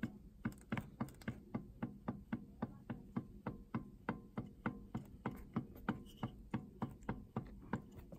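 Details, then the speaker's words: Husqvarna 236 chainsaw with flywheel removed, crankshaft rocked by hand: sharp, regular clicking knocks about three or four a second from worn crankshaft bearings with play; dampness behind the flywheel, air leak through the oil seals, bearings and seals to be replaced. "There's dampness in there, that must be the main cause. Also the play... I think you can hear that..."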